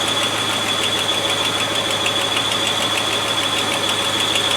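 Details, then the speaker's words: Land Rover 110 V8 warming up at idle, temperature gauge at one third: steady idle with a light quick ticking about twice a second. Owner notes a new noise, source unidentified; earlier top-hose vacuum problem now gone. "There's a new noise, isn't it?"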